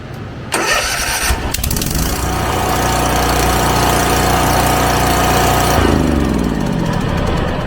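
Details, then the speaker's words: Hustler Fast Track mower with Kawasaki FR691 engine, hard to restart hot, after valve lash adjustment and 10 minutes running: short crank, catches almost at once, steady even idle; hot start now normal, problem solved. "So ran it for about 10 minutes to see if it starts back up pretty easy, or if it's still taking some time to start back up when it's hot."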